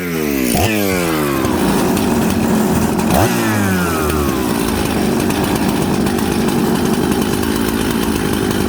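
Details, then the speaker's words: Jonsered 630 Super / Husqvarna 266 mixmaster chainsaw, after low-jet adjustment: it blips, then settles into a steady but blubbery run, very smoky and super rich. "now you see that friends this thing's super smoky super rich"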